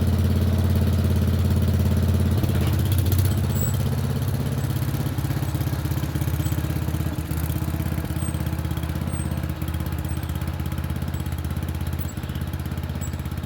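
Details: Murray Select 30-inch riding mower, being revived for resale, started after jump-pack attempts for a driveway test run; small single-cylinder engine catches and settles into steady even putter, no knocks or misses; runs healthy.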